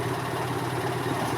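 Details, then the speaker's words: 2002 EZGO TXT gas golf cart on a GPS speed test: the engine holds a steady fast drone with no throttle input and won't drop back; the governor cable running from the rear governor to the carburetor throttle is stuck. "Okay, sounds like we have a stuck cable. So you can see I haven't moved my foot. Okay, we got a stuck cable."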